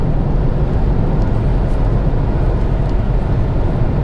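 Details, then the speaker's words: Malibu at highway speed, steady 65 mph with cruise control set: steady low road and engine rumble, no surges, knocks or shudder; smooth normal highway cruise. "Here's 65. Smooth. Very, very smooth."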